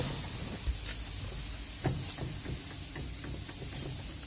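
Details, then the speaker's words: Front wheel rocked by hand gives loose, irregular clunks and knocks, with both up-down and left-right play: a worn front wheel bearing assembly, found during a safety inspection. "See that movement, that up and down movement? Well, not only do you have up and down movement, you also have left and right movement too. Okay? That right there is a clear sign of a worn out wheel bearing assembly, which is in here."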